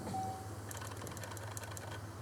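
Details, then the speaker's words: 1995 Oldsmobile 88 3800 Series II V6, crank/no-start, weak battery, key-on fuel pressure test from an empty line: low pump buzz then hissing, spitting spray as fuel squirts from a leaking line before reaching pressure; major fuel leak. "Well, we've got a major fuel leak."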